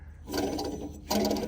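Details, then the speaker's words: Lawn mower deck pulley spun twice by hand gives a gritty, ratcheting rumble instead of a smooth free-wheel; the rough, worn pulley bearing is suspected as the source of the loud deck noise. "see listen that sounds real bad that might have been what I was hearing"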